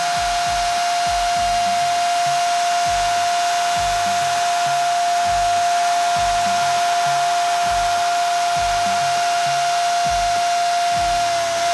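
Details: Traxxas Rustler VXL 2WD RC truck with new Boca ceramic bearings, bench break-in run, drawing less power than stock bearings: steady even electric whine at one pitch, no grinding, rattle or ticking; drivetrain running free.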